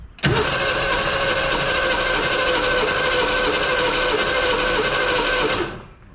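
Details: 1970 Ford Mustang Mach 1, first start after nearly 40 years sitting, some new engine parts fitted: catches with sudden bang, runs ragged and uneven about five seconds, then dies; rough start after long storage.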